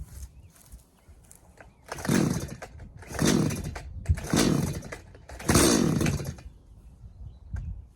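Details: Stihl MS180C chainsaw after carburetor rebuild with new metering diaphragm, pump diaphragm and gaskets, plus new spark plug: four crisp throttle blips rising to a high snarl and back to steady idle without bogging; normal running.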